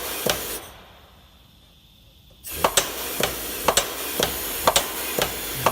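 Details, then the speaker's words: Old double-ended Haskel gas booster after its shuttle valve was cleaned and rebuilt, on about 12 psi of dry drive air: a burst of air, a pause, then even thumps about once a second with soft exhaust hiss, shifting cleanly. "Well, that's nice. Listen to that baby purr."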